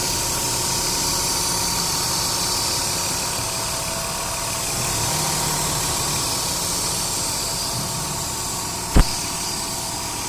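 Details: Ford Duratec DOHC 3.0 V6 at idle with AC on max: steady hum with irregular stumble and one sharp pop, cylinder 2 misfire worse with AC; new coils, spark plugs and wires fixed it.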